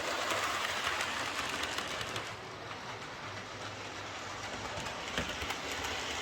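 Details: Bachmann Webb Coal Tank 0-6-2 model locomotive pulling coaches after repair of dislodged rear axles, bent pickups and a filed deformed wheel flange: light even clickety ticking over track joints, no clunking. Runs smoothly.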